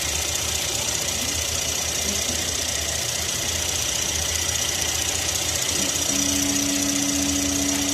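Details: Idling petrol engine: uneven, stumbling low pulse under a heavy steady hiss, typical of a misfire; cause suspected, not confirmed.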